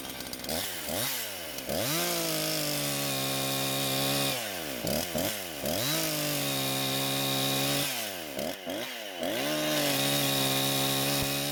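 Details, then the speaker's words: Husqvarna chainsaw that wouldn't start, now fitted with an aftermarket carb, on 89-octane ethanol-free gas with synthetic two-stroke oil at 50:1; crisp revving to a high scream, bogging in the cut and recovering smoothly; runs very well and cuts okay. "But it seems this saw runs very well and it seems to cut okay."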